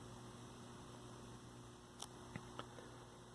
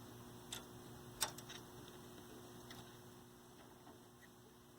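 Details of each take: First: 1965 Zenith 19-inch black-and-white TV, 14M28 chassis: the vertical stage is now running with a steady mains-pitched hum and faint buzz, and the earlier hot resistor smell is gone. Normal vertical output hum. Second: 1965 Zenith 19-inch black-and-white TV, 14M28 chassis, on line power: adjusting vertical hold gives no vertical singing, only steady transformer hum. A hot resistor smell appears and the damper tube is cold and dark. No vertical deflection.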